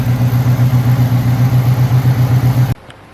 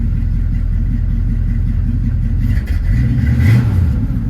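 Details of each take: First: Hurricane Ida flood-damaged 1979 Chevrolet Camaro Z28 V8, exhaust now dried out, before oil change: steady even idle with smooth lumpy exhaust pulse, no misses or knocks, then shut off; normal idle. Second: Hurricane Ida flood-damaged 1979 Chevrolet Camaro Z28 V8, second start after rusty water came out of the exhaust, running on carburetor bowl fuel: fires and revs unevenly with lumpy exhaust beat and brief stumble; water still in tailpipes, owner suspects water in fuel.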